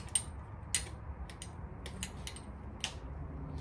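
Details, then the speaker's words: 2007 Triumph Thruxton 900, sat unused over 6 years: sharp single clicks at irregular intervals on start attempts, no cranking; owner suspects the starter solenoid or electrical switches, not confirmed. "everything that I read on it about the clicking noise was leading me to believe that it's the starter solenoid or a bunch of these electrical switches."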